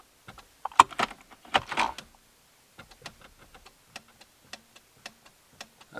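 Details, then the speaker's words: 2008 Chevy Impala stuck in park, after soldering the brake shift interlock solenoid wiring: quiet sharp single clicks with each brake pedal press; shift interlock solenoid engaging normally, fixed. "can you hear that when I step on the brake pedal that's the solenoid that was supposed to"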